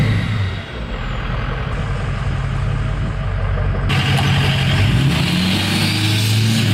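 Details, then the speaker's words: 6.0L Powerstroke diesel after installing a new intercooler pipe to fix a boost leak: it pulls hard, rising smoothly in pitch with strong turbo rush and no hissing leak. Boost now holds normally. "Wow. There's no boost leak at all anymore."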